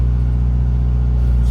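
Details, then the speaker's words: Ex-undercover-police Toyota Yaris four-cylinder that sat unrun for over 4 years and ran badly after auction: now a steady, smooth idle, likely after fresh gas got through. "here is for the first time since the auction an idling engine let's go Baby Woo it sounds so good now"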